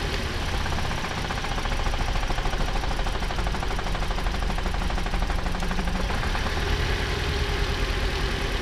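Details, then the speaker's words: About 2013 Toyota RAV4 idling after swapping spark plugs between cylinders 2 and 3: rough uneven idle with a regular stumble; the misfire stays on number 3, so an injector is suspected next. "So that misfire hasn't moved. Well, we still have the misfire on number 3."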